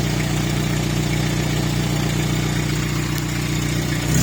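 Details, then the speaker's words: Iveco Daily diesel van at idle, after noise suddenly increased going flat out uphill: steady low idle under a loud chuffing roar, slight rise at end; owner thinks there's an exhaust blow. "there's a lot of bit of a sensor overload anyway with all the noises going on and vibrations and everything like that you get in this, and then suddenly there was a lot more."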